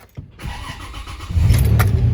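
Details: 2006 Toyota Tacoma 4WD, manual with clutch in, after intermittent clicking no-crank blamed on the starter; battery terminals cleaned before this try. Brief even cranking, then the engine catches within about a second and settles into a steady idle: a normal start.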